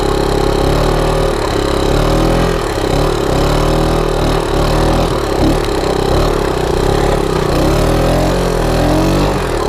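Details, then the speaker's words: 1987 Honda TRX125 ATV single-cylinder, crash-repaired, first ride; engine revs hard, pitch wandering upward without pulling, speed not increasing; clutch slipping under load. "clutch is slipping i don't know how is he riding this i'm lost trails with clutch slipping like that"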